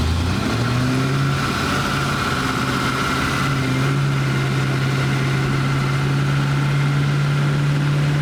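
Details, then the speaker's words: Ratty garage-find Plymouth Barracuda V8 on a second start attempt after timing checks and fixing a loose spark plug wire: deep, even burble holding a steady low note with no miss or knock, running smoothly at low RPM. "yeah what's that you can just hear it at low RPM it's it's very good [Music]"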